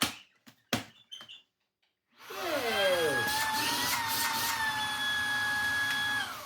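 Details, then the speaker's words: Second worn, used Shark cordless vacuum tested on the same battery: handling knocks, motor spins up with rising whine, holds steady even pitch; it works, healthy. "It does. [Music] Marvelous. That works too."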